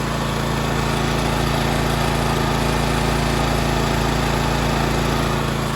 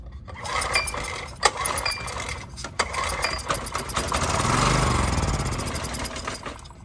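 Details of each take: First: Honda EX1000 1,000-watt generator carrying a 250 W light (about quarter load) after carburetor cleaning, main jet opened another half turn; steady even drone, no hunting or surging, frequency needle between 50 and 60 Hz, governor holding speed properly. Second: Honda EX1000 generator with old gas, choked and pull-started with carb cleaner sprayed in as starting fluid: brief sputtering burst that nearly catches and dies; fuel starvation.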